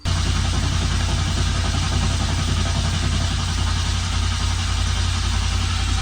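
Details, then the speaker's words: R32 GTR before tune, crank angle sensor unplugged so no spark: even low churning crank without firing, building oil pressure; sound changes once oil pressure builds. "so you guys guys can see that starting to build a little bit of oil pressure so I don't know if you guys heard that you could actually hear the difference where it has oil pressure and then where you can hear it when it doesn't have oil pressure"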